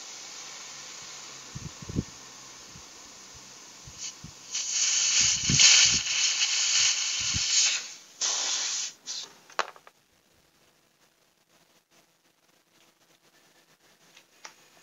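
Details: Chest freezer (freezer box cooling only at top) after condenser replacement and gasoline flushing, test charged with refrigerant: cutting the suction line releases loud, sharp hissing bursts that die away quickly; high pressure present, capillary not blocked.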